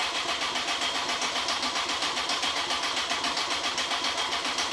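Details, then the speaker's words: 2002 Honda CBR954 Fireblade, first start after six-month rebuild with gearbox replaced: starter cranks steadily at three or four beats a second with no firing; no spark, owner suspects fuel since system was completely drained. "and we just we need a spark we're not getting a spark I think it's fuel cuz it's been completely drained"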